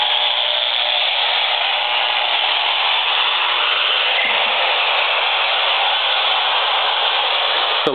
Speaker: and the computer has reached its startup screen it's very very noisy and that noise is extending out of this machine by about 4